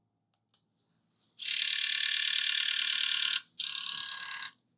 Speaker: They're so loud. Am I missing grease? Is that the component here?